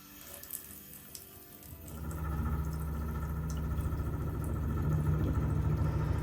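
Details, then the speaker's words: Kohler tub faucet, hot or cold side: water rushes on, then a steady pulsing chug about three times a second, sputtering and hard water hammer; air in the line was ruled out, owner suspects a bad valve cartridge. "And you get that sputtering real bad, or you get a significant hard water hammer? Yeah, that's us. Got it this morning, and it was terrible."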